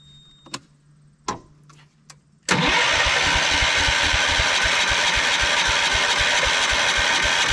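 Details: 1979 Kohler K301 12 hp single, on battery after electrical repair: a few clicks, then rapid cranking at about four beats a second that never catches; the fuel pump is suspected dry, or the pump bad or the carb gummed and corroded.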